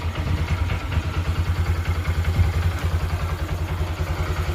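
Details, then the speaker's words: Honda Dream Yuga single-cylinder motorcycle after full engine rebuild and cleaned silencer, just started: even steady idle thump, about three beats a second, light timing sound, no knocks, no smoke; healthy. "ఇప్పుడే బండి start అయింది కాబట్టి కొంచెం light గా timing scene sound లాగా వస్తది అన్నమాట"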